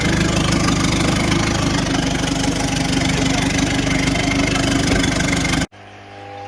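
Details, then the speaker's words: Big-turbo Ford Courier diesel ute after rebuild: diesel clatter with unsteady hunting beat at idle, then cuts out abruptly; won't idle properly, fuel governor suspected, not confirmed. "we weren't actually able to get it to idle properly just there's something wrong with the fuel governor and release that's what josh thinks"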